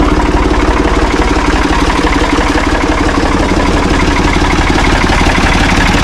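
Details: Ford 445 diesel tractor, owner thinks a 1970s model, bought at online auction: steady, regular diesel clatter at constant idle speed, no misses or hunting; starts and runs good, idles smoothly.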